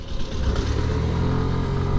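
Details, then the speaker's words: New 2025 Suzuki Access 125 TFT scooter riding under gradual acceleration: low engine drone climbing smoothly and evenly, no knocks or rattles; settled up to about 4000 rpm, turning more aggressive beyond; healthy engine. "ஒரு 4000 RPM வரைக்கும் சட்டிலாக இருக்குது sound எல்லாமே. But அதுக்கப்புறம் வந்து ஒரு மாதிரி அக்ரெசிவாக மாறிடுது."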